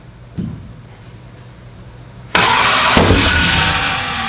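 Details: Car "Slick Rick" first fire-up: single pop, then sudden loud rough roar with uneven thumps that never settles into a clean idle, shaking the whole car; fires but won't run, cause suspected, not confirmed.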